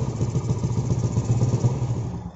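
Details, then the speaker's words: Yamaha Jupiter Z that won't idle, starts hard, fouls plugs black and wastes fuel: low, lumpy, stumbling idle; fuel leaks through the faulty vacuum petcock into the vacuum hose and intake manifold, so the vacuum petcock needs replacing. "ini masalah berpenyakit itu sumbernya dari sini ke The Cranberries in atau keran vakum menikah bermasalah"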